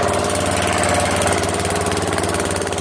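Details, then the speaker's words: Newly swapped-in 12.5 hp flathead mower engine (replacing a 15 hp OHV), started after more oil, choke and throttle on: loud, even single-cylinder chug at steady speed with no skips or knocks; good spark and compression, running properly. "Good pressure. Make some adjustments, but it runs."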